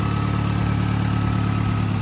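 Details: VW MK7 GTI first start after a full engine swap: steady, even idle with a smooth low hum and no knocks or ticks; the engine settles in cleanly and sounds healthy.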